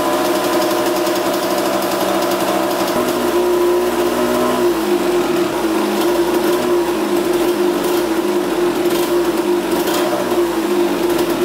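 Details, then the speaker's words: 1982 Kawasaki KX125 two-stroke after coolant leak repair: crisp high buzzing idle, picks up cleanly on a blip and settles back evenly, no rattles; sounds pretty good, no leaking. "sounds pretty good"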